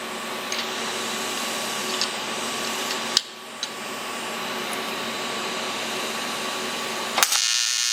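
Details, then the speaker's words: ProTIG 200 TIG welder after setup mistake fixed, gas regulator at 35–40 while flowing, thinner piece: steady fizzing hum, faint high tone, brief crackles at arc start/stop; stable normal arc, current control needs practice. "well i gotta practice a little current control there that's working a hell of a lot better than it was before though"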